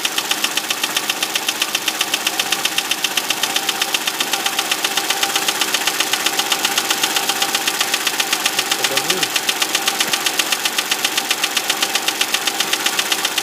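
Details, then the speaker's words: Audi A6 C6, 2005, BDW 2.4 engine at idle: sharp, even metallic knock about four times a second; the previous owner claimed hydraulic lifters, but it is piston slap with the piston hitting the head; oil pressure checked and the head removed. "Audi A6, кузов C6, 2005 год. Стучит двигатель. Сегодня задача определить, что это, по возможности починить."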